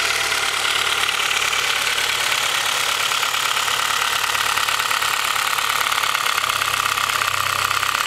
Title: Mahle Gold Series H22 engine piston slap (cold engine)